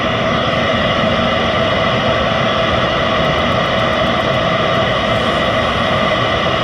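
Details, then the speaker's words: Eberspächer Hydronic D5 second-generation 5 kW diesel water heater after about 800 seconds (12–13 minutes) running, heating a 90-litre tank: constant smooth burner roar and steady fan hum with no popping or surging; running normally. "So the heater is running for a while now. It's about 800 seconds, so 12-13 minutes, and everything is fine."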